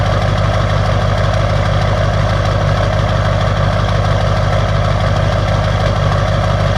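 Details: LB7 Duramax diesel on a cold start, with bad injectors stated: a heavy, steady clatter at idle with an even pulse of about three beats a second; rough idle.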